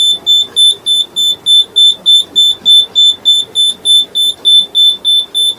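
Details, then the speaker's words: Flour mill (atta chakki) hopper LDR grain-level sensor with relay: once the wheat runs out, the siren sounds as shrill high beeps, evenly about three a second, warning that the grain is finished. "गेहूं खत्म होते ही siren चालू हो चुका है। तो ये चेतावनी देता है कि गेहूं यहां पे खत्म हो चुके हैं।"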